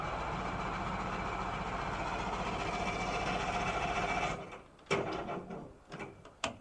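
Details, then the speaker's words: Old outboard on a cheap Craigslist fishing boat, cranked dry out of the water and not yet primed: rapid even cranking, three to four beats a second for four seconds, almost catches but won't start; cause not confirmed. "she almost went that's uh prime it up real quick"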